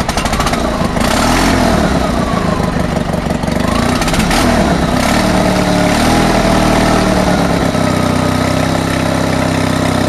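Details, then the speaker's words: Honda HT3813 engine during compression check, possibly low compression but runs OK: small single revs and settles with steady putter, no top-end ticking or obvious head leaks; valves sound quiet. "see on this one there's no obvious head leaks um like you don't even hear any valve valve noises on this like you did with the other engine"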